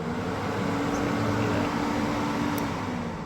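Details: Porsche 993 oil cooler/A/C fan motor run on a jumper wire across terminals 30 and 87 (resistor replacement job): steady, even whirr with a constant low hum, no scraping or ticking; fan spins freely.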